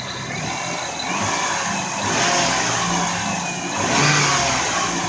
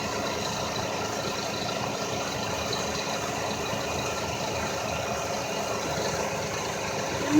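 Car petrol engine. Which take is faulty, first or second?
second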